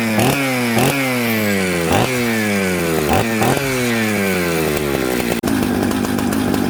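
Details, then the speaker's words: Mixmaster chainsaw built from Jonsered 630 Super and Husqvarna 266 parts, just started on choke: each throttle blip bogs and burbles before climbing, then sags unevenly; smoky and rich off idle, fixed by turning the low jet in. "so you hear how smoky it had a little bit of a bumble off idle so what i did was i turned the low jet in the low jet is usually the one closest to the cylinder alm"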